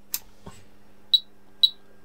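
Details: HP 34401A 6.5-digit multimeter after repair with new board fitted over burnt PCB, switching on: click and switch-on thump, then two short clean high beeps half a second apart; meter powers up normally.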